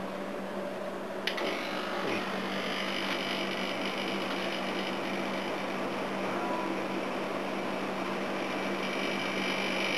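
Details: Second A/C unit, with gas in it, starting up after earlier dry-sounding tries: a click, then a steady low compressor hum under even fan rush as the compressor starts and runs smoothly; it works.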